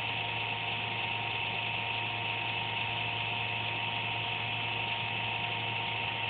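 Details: Computer making a random buzz once or twice a day without performance loss: a steady electric buzz with an unchanging high whine; the owner thinks it may be the fan, unconfirmed.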